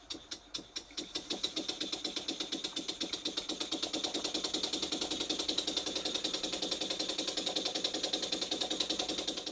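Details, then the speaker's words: Cotswold Heritage vertical model steam engine running in on compressed air: sharp, even metallic knocks about two and a half per second, steady with speed; valve timing seems OK, cause of knock uncertain. "very well-built steam engines will knock if the valve timing is but the valve timing on this engine seems to be ok"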